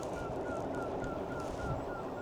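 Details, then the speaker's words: Engwe EP2 3.0 Boost e-bike with BMX-style folding handlebars, riding faster: thin chirp repeating about three times a second in step with the wheel, like rubbing with no visible cause; front wheel squeak. "Let me go a bit faster and see if you can hear the little mouse. Right. Ready? Can you hear that? It sounds like something's rubbing, but"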